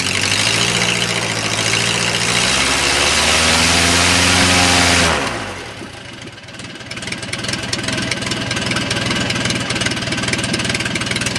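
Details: O-84 (4A084) generator engine converted to fuel injection, warm, on a test dolly: loud even full-throttle roar easing to a smooth lower run; engine runs extremely well, normal.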